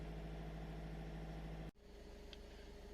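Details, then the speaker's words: VW gen2 1.6/2.0 TDI after an injector change, running the injector deviation adaptation basic setting after brake and clutch pedal operation: steady diesel idle clatter, then the note drops abruptly and quietens as fuelling changes; normal adaptation run. "there you can hear the injectors change noise i'll come back to you when it's done"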